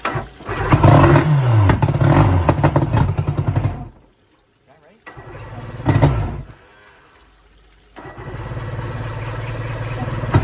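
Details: 1990 Johnson 130 HP outboard that sat seized for 10 years, throttle closed, on a premixed tank with the VRO not yet deleted (possibly over-oiling): catches and revs raggedly, dies, sputters back, then runs unevenly, barely staying running.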